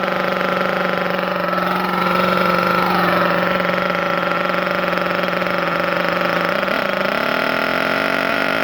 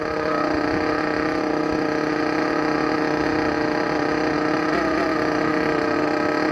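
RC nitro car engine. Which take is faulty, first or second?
second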